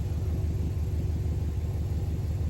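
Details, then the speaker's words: Subaru Impreza (WRX-to-STi build) just after its first start in three years following a full rebuild: deep, steady throb pulsing evenly several times a second with no ticks or stumbles; smooth, healthy idle. "the important thing is I've managed to turn the key and get it started"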